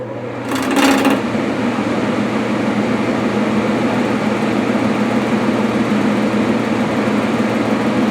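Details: Furnace with the house heat turned down to 60 and the fan on, door override switch held: a click, then a steady low droning hum with a rough shaking undertone; the owner thinks a balance weight fell off the blower wheel.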